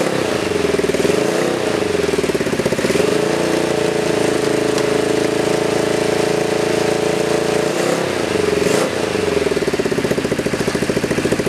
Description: Here's the first start on our test frame of a freshly rebuilt 1973 Kawasaki Z1 900.